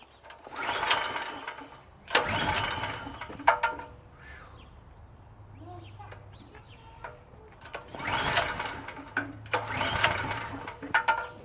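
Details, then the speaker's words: PowerSmart PS44 3000W generator that sat unused since 2017: repeated recoil pulls with brief sputtering catches that die each time, never running steadily; hard starting. Owner suspects black flakes of old fuel in the carburetor bowl. "It could be just a black flake of old gasoline, and it's just stopping compression."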